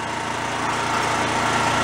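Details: Roadside-found Chinese mid-size generator set being revived on the bench, running with no load while warming up before frequency adjustment: steady, even running with a smooth hum and no misses or knocks, settling nicely.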